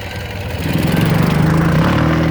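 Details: 2009 Ural Sahara Limited Edition 2WD sidecar, carbureted boxer twin, under 9,000 km, kick-started without enrichment shortly after running, chilly day: low lumpy beat settling into a steady even idle; sounds healthy.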